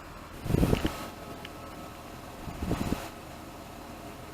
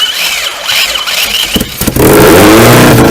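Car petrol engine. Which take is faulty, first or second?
first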